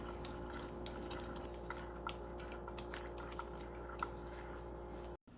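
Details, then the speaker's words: Hand-cranked wooden roller gearing model from the Making Mechanical Marvels book: quiet soft wooden clicks and rolling, no binding or catching; the gearing turns smoothly and evenly. "this next model is called roller gearing and it comes from the making mechanical Marvel's book and this is a very neat model because I'm amazed how smoothly it operates this model always amazes me at how smoothly it operates"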